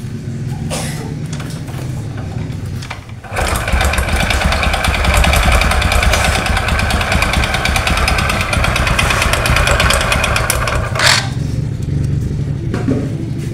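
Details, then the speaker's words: Honda Supra X 125 carburetor motorcycle, history unknown: harsh loud clattering engine noise, much worse when revved; mechanic's provisional guess is two knocks. "Suaranya sangat ekstrim sekali, apalagi ketika digas. Di sini suaranya amburadul Pak. Nah, menurut dugaan saya sementara ini ada dua ketukan."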